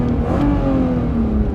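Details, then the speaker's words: Engine-swapped BMW E36 on its first drive, exhaust very muffled: a quick throttle blip gives a smooth, even rising note with no knocks or rattles, a normal healthy engine rev. "we are crazy muffled and then I'll give a little bit of a refuse you can hear it"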